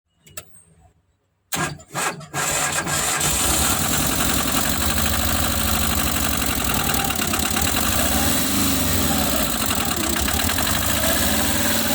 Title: Tata Magic engine problem overheating engine head face cutting engine knocking